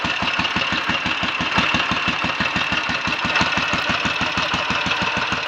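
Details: Royal Enfield 500 single after rebuild, about 10–15 minutes running, third start after strobe timing and pushrod checks: even, lively thump at about three beats a second, no misses or knocks; normal idle.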